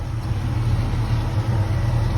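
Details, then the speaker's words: Project Chevrolet Caprice idling after digital dash install, with a loud aftermarket electric fuel pump the owner dislikes; low, even idle rumble with no knocks or misses, motor runs like a sewing machine. "motor run like a sewing machine though"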